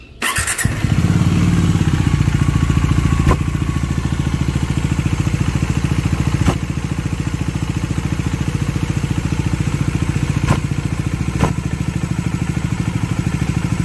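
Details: Bajaj Dominar 400 with under 1000 km, idling: fast steady beat of 3–4 per second with sharp ticks every few seconds; clutch pulled to test, oil appears static; abnormal engine noise, cause still under investigation.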